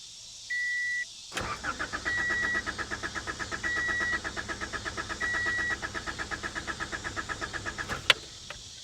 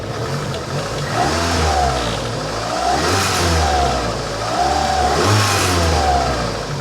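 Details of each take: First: 1985 Honda Accord 1800 with 62,000 miles, after blown fusible links were replaced. The starter cranks steadily at about three beats a second for six seconds with a chime but never fires, because the fuel gauge shows the tank empty. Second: 1985 Honda Accord, 62K miles, first revive with 1.5–2 gallons fresh gas: engine climbs cleanly through quick throttle blips and settles back each time, smooth with no misfire or stumble; slight heat-shield rattle noted.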